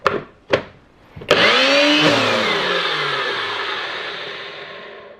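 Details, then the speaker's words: Nutribullet Pro 900 blender after repairing and reinforcing the broken post on the switch actuator spring bracket and cleaning: both actuators click as the cup is pressed down, then the motor spins up to a high steady whir and winds down; working normally. "Now, when I install and press the cup down, we can hear the click of both actuators, and the motor and blade spin again."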